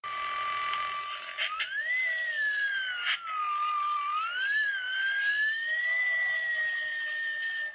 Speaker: Whine can be caused by a large spike in the AC component, as shown on the oscilloscope.